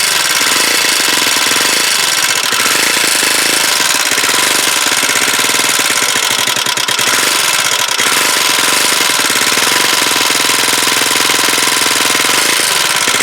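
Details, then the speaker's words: Huoniao HN125 single-cylinder, first start after engine installation: fast, dense metallic clatter over the engine note at steady speed. Valve tappet rattle; the owner thought the tappets were done, but they still need doing. "oh she sounds a bit rattly I think then I thought I'd done them tappets but"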